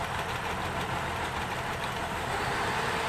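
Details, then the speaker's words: 2006 Cadillac CTS 3.6L VVT V6, just after its first start following timing chain, guide and gear replacement and a valve job, pre-oiled: a smooth, even idle with a steady hiss and no chain rattle or knock as the VVT picks up; normal idle. "There goes some VVT picked up."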